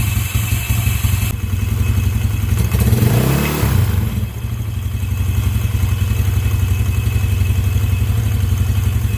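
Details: Yamaha Mio scooter after fixing starter one-way clutch noise from a replacement local one-way, cut down further since 0.8 mm still rattled: even low engine beat with a brief rev, no rattle from the starter drive; normal running.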